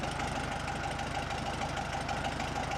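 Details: 1970 VW Bug, sat from 2008/2009 to 2020, cold start after three days parked: uneven idle with a regular ticking pulse about six times a second over the engine note; rough running, likely an ignition connection.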